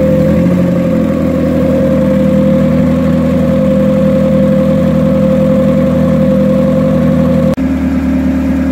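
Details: Turbo Hyundai Tiburon, freshly reassembled with a Beta head that sounds much quieter than the Beta 1. Smooth, even idle with a steady low hum and no knocks or misses; any smoke would probably be from the turbo. Running healthy.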